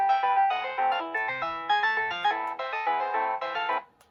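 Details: Williams Fire! pinball MPU after corrosion abatement, SRC-to-SR replacement, new input power filter cap and added NVRAM, in music test: clean electronic tune with clear, even notes, no hum, crackle or dropouts; normal playback.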